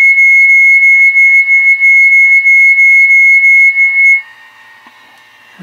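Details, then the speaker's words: Two 1MHz crystal oscillators at 12 V, frequencies reading very close, heard on a nearby radio before swapping crystals: a shrill steady whistle wavering about three times a second. Heterodyne beat between the two oscillators. "so I'm curious about this turn this radio on here yep much closer frequency than last time but you can still hear it"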